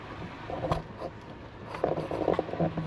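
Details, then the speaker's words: Vehicle crawling over potholed rough backroad: short metallic pings and squeaky creaks in irregular bursts; driver attributes the pinging to one of the struts, shocks not liking it, not confirmed. "Hear that pinging? That's one of my struts."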